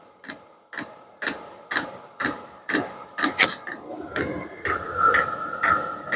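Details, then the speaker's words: Vevor diesel heater running normally, hot with muffler burning; crisp even tick about twice a second with light whoosh from the fuel dosing pump delivering a drop each click, no leaks. "Closer look at the fuel pump. That's what you'll hear ticking."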